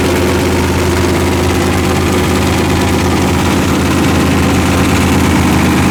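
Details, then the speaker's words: Engine with forged pistons, warm idle around 155 during run-in: rough, uneven low thumping about three knocks a second under exhaust drone; bottom-end knock from a worn crank journal, journals 3 and 4 a little loose. "but this journal right here is the journal that's causing all the problems I'm pretty sure"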